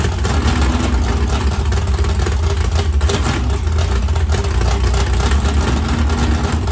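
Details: 769hp 409ci Ford 351 Cleveland on engine run stand, after starter grinding fixed via bracket without bell housing: steady, even low rumble with no knocks, ticks or misses; running smoothly, good oil pressure, healthy.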